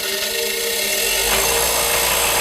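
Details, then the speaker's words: Harbor Freight bench grinder stand, not bolted down; the grinder motor spins up to a steady high whine with a buzzy rattle underneath as the stand vibrates and walks across the floor. "vibrates across the floor so that's what we aim to fix today"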